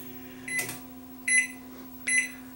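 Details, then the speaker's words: Panasonic inverter microwave on bench, power limited through a current limiter, magnetron disconnected, run about 5 seconds: steady low hum between three short beeps, no strain or buzz; no short. "if this thing draws a whole whack of current then we got a problem with the inverter if it doesn't draw a whole whack of current then chances are the magnetron is where the problem is on this thing"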